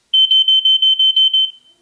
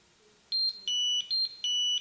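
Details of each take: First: TwoNav handheld GPS route deviation alarm: seven short, high, clean beeps about a fifth of a second apart, previewed at reduced volume. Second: so that beep beep beep beep beep beep that's what you're going to hear and then you will get an arrow on the screen giving you the distance to get back on this route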